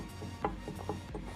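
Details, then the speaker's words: Duramax LB7 turbocharger, engine off, mouthpiece removed: sharp dry clicks each time the shaft is pushed in and out by hand, a ton of in-and-out play; excessive turbo shaft end play. "But I'll tell you what, guys, I'm glad we're doing this because there is a ton of in and out play."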